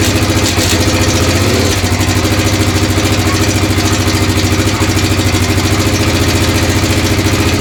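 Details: 1996 XR600R single, freshly built from parts of seven bikes, on its first cold start on full choke, fast idle with a light even tick over the thump. The owner suspects it needs a valve adjustment, probably the right front valve, unconfirmed.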